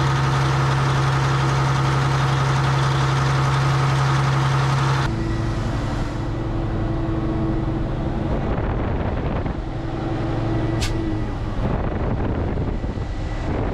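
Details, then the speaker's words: Diesel scraper at a fast idle with the A/C on: the compressor hum cuts out abruptly after about five seconds. It is short cycling, blowing cold air but pulling suction to 10 psi; the owner suspects the expansion valve. "she's blown cold air but it's short cycling it's pulling the suction side down to 10 which tells me there's something wrong with the uh expansion valve"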